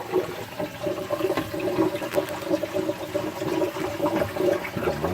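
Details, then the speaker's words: 60-cube reef tank sump plumbing with the return pump controller on max and the gate valve closed, so the Durso standpipe carries all the flow: constant bubbly gurgling and sloshing with many bubbles. Opening the valve makes it much quieter. "just listen to how noisy this is going to get so the derso can handle the output of this pump"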